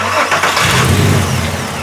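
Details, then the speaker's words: 2002 Volkswagen Jetta VR6 petrol, started after new fuel injectors were fitted, still shakes with a rough, uneven idle; misfire, scan shows cylinder 1 injector circuit fault and cam position sensor code P0340. "so Tony put the injectors in and uh he called me and said he still has a misfire so here we are"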